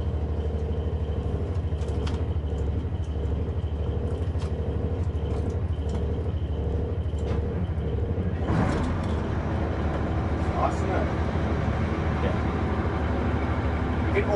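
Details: Diesel in a boat, idling, recorded inside the cabin with insulation under the floor and sides: deep steady rumble, muffled, no knocks or misses; engine sounds healthy, talking possible without raising voice.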